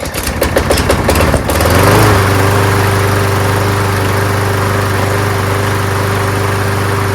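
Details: Toro Super Recycler mower with aluminum deck and Quantum engine, primed and pull-started: a few rough pull-start chuffs, then it catches and settles into a steady, even drone; running healthy.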